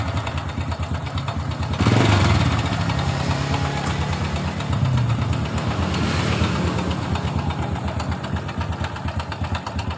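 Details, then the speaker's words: 2007 Honda Supra Fit New idling with a rough kletek-kletek clatter around the cylinder head; cam chain found very slack, to be adjusted or replaced, rollers checked. Cam chain rattle. "kletek-kletek. Ya, biasanya rantai ketengnya yang bunyi."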